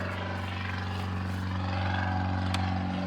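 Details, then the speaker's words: 2015 Chevy Tahoe police package, 76,480 miles, heavy passenger front collision damage; steady engine drone with loud even rubbing whir as the cooling fan kicks on seconds after start and rubs on something; engine itself sounds good. "The problem is that after it starts, just a few seconds in, the fan kicks on and the fan is rubbing up on something. So it just makes a loud noise."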